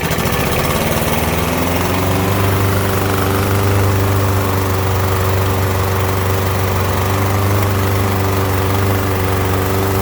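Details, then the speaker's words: Troy-Bilt TB110 push mower (MTD) started with carb cleaner after being tipped so oil got into the air filter and intake; steady, slightly rough single-cylinder running while burning off oil, smoking expected to clear soon. "gets you going long enough to burn all that excess oil off so after we run it here for just another minute that'll clear up and it'll stop smoking"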